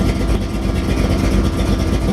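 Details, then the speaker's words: 1932 Ford Roadster street rod with ZZ502 big-block V8, 7,219 miles since built, fired up on a hot morning at 140 degrees with no issues: deep, steady, even rumble with no knocks or misses, healthy normal idle. "We're going to fire it up here for you. Volts on the battery, 140 degrees, hot morning here, no issues."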